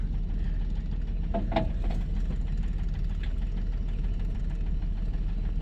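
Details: 1997 Dodge Caravan LE at a steady idle, with a dull low thud about three times a second under the running note; a bottom-end knock that the owner thinks sounds like it comes from the lower end.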